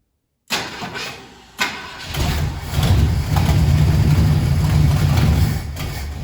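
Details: 1968 Ford Galaxie 500 with 390 V8, unregistered and sitting at least 13 years, coil wired directly to battery: cranks briefly, catches, then loud uneven lumpy idle about four beats a second; rough running after long storage, spark later found weak.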